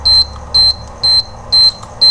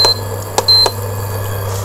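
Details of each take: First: Induction cooker with shorted IGBT (20R1203), coil and fuse already replaced: beeps nonstop at power-on, about two high beeps a second; the fault is traced to a capacitor. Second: Induction cooker after repair with new IGBT, running at full power with a pot on top: a few short high control-panel beeps over a steady low hum; sounds normal.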